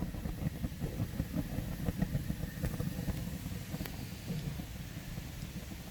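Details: 32-inch Summerset TRL grill back burner: low, uneven rumble broken by irregular soft pops and puffs with a faint tick, not lighting cleanly; burner misfire.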